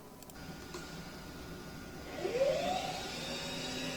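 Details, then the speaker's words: BMW X5 secondary air pump commanded on through the DME component activation in Autologic, during diagnosis of a secondary mass airflow problem. Midway an electric pump kicks on, rising whir settling to a steady hum: pump and its control circuit work, sounds healthy. "You can hear that pump come on. So that proves to me that that air pump is, at least at this point, functional. So the air pump turns on, it sounds healthy."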